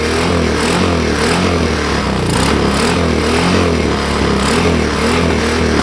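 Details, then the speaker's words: Chinese quad single-cylinder after replacing a melted CDI, running on choke: uneven running with a rhythmic rise and fall about every half second; owner suspects a lean mixture and plans a carburettor rebuild. "oh I don't know if you guys could hear it but it's uh it's kind of running a a tad lean I had the choke on for it to run like that"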